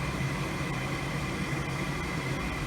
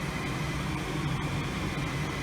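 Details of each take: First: Goodman gas furnace whose pilot lights but does not heat (flame sensor usually suspected), called for heat from a Nest thermostat: steady low whirr and smooth airflow rush with no rattle or scrape. The inducer fan starts up normally. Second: Goodman furnace not heating, pilot lights: steady low whooshing hum with even fan drone as the inducer fan spins up at start of the heat cycle, called from the Nest thermostat, before igniter clicks.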